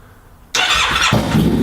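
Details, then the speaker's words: Harley-Davidson V-Rod (VRSC) first start after sitting a few weeks, about half a tank of fuel: quiet, then starter catches and V-twin fires at once into strong even idle; clean healthy start. "Oh! Fired right up."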